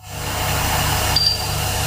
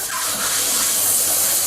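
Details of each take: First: Heat pump running at full output after charging, stabilized at 5° superheat and 2.2 subcooling; steady even hum with soft low pulsing drone and faint beeps, compressor running smoothly, normal operation. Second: Heat pump during refrigerant charging: loud, steady, high-pitched hiss while the charging hose fitting is tightened and the hose freezes. Refrigerant is escaping at a loose charging hose connection.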